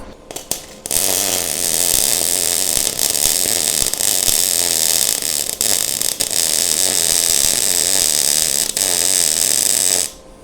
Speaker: Now, that sound sounded a ton better and looks a ton better. So, we're going to roll with that.